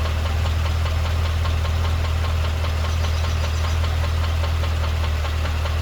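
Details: 2012 Cadillac CTS-V V8 at idle: a deep steady rumble overlaid by a quick light ticking or knocking about four times a second.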